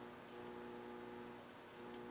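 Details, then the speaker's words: Harman Kardon Two Thirty (230) receiver with germanium PNP transistor TR301 (2SA49) removed: the noise is gone, leaving near silence with only a slight steady mains hum and no hiss or crackle. "i removed this transistor and i got it here right my at my hand you know if i turn the receiver on i got silence the noise is gone got a bit of hum"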